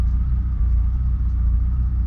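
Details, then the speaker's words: Car with fuel pump, relay and fuse already checked good: idle runs high at first, then smooths out into a deep, even rumble with no misses or surges; normal idle. Vacuum line later identified as an idle problem. "but now we had to crazy idle again but it's running up smoothing out smoothing out"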